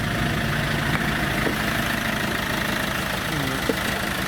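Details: Iveco Daily diesel van, first start after 10 months sitting, with the battery fitted and earth leads replaced: steady idle with even, light clatter and no misfire or knocking; possible exhaust leak noted and one diesel line snapped.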